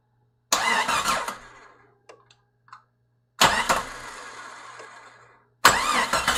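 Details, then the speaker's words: Jeep XJ 4.0 rebuilt engine, first start attempt: three short starter bursts separated by silence, engine never catches; owner thought he heard knocking, suspects fuel not yet there. "Well, it sounded like I heard something knocking, but at least we got the starter going. So for some reason it's not activating though."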